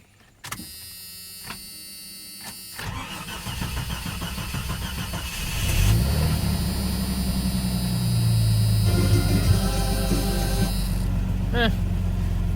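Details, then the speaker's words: 1989 Jeep Cherokee 4.0L I6 (Renix, AW4) on its old battery, sat 24 hours at 12.68 V. The starter turns sluggishly at about four beats a second for several seconds, then fires and idles. Weak battery dragging the crank; the alternator then charges to 14 V. "interesting well it started that's a pleasant surprise like I said if it's sets for a week usually it doesn't start"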